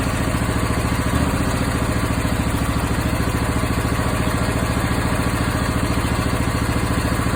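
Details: Briggs & Stratton 20HP V-twin engine with a lumpy idle and uneven pops chuffing from the exhaust, not the intake, among the firing beats. It was worse in winter and Sea Foam helped only temporarily. The cause was incorrect valve clearance, fixed by adjusting the valve lash.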